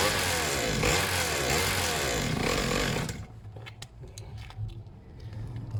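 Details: Serviced pit bike / mini moto two-stroke while its idle is set: sharp buzzy revs for three seconds, then a quieter uneven idle; slightly smoky; normal running.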